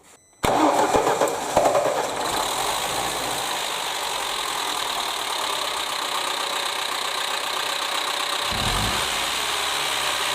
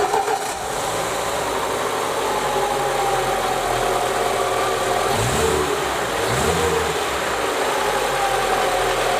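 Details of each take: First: Lada Niva engine, security-company car with very high mileage, constant idling and likely late oil changes, idling with a rapid top-end clatter from worn camshaft lobes and rockers, one rocker with nearly 1 cm play, before camshaft replacement. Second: Lada Niva petrol engine (2121/21213/21214) with high mileage, after installing a restored camshaft replacing one with worn cams and rockers, idling steadily with an even hum and light regular valvetrain patter, no heavy knocking.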